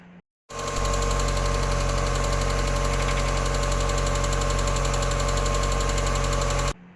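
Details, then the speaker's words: NA Miata engine at idle: light, quick ticking about four per second over a smooth idle, following engine speed; hydraulic lifter tick that comes and goes, before lifter replacement. "if you've got an old Miata you've probably heard lifter tick before I got a video of mine right"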